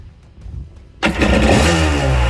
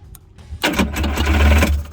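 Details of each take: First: 1984 Kawasaki JS550 jetski, after cleaning saltwater corrosion off the starter switch electrodes: catches straight away, revs up and down cleanly and keeps running strong; normal start and run. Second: 1984 JS550 jet ski that won't start; the start button's two electrodes are corroded by saltwater. Bridging them with an insulated metal tool gives a short burst of cranking that briefly catches, confirming the switch contacts are at fault. The fix is cleaning them.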